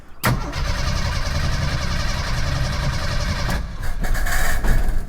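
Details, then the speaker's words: 1987 Jeep YJ, 4.2L AMC inline-six with carburetor, sat at least 7 years: on starting fluid sprayed into carburetor it catches instantly, roars unevenly about three seconds, then stumbles; spark confirmed, quality unknown. "Hey! Hey, that's it. That did it. Well, we got spark. Don't know how good it is."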